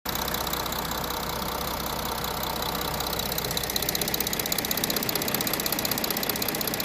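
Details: 2019 Audi A6 45 TDI diesel at about 17,000 km, at idle: steady, fairly even tick about two and a half per second with a sharp clatter on top; cause unknown. Abnormal engine noise.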